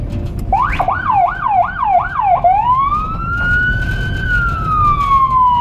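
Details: Emergency vehicle on a cobbled Budapest street: quick up-down yelps about three a second, then a long slow rise and fall over traffic; siren operating normally.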